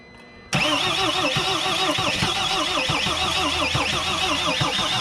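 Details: Mercedes Sprinter diesel no-start after a new fuel tank and fuel pump, battery boosted at 200 amps, fuel leaking; the fuel pump wiring was later found disconnected. Steady wavering churn for several seconds, never fires: long crank, no start.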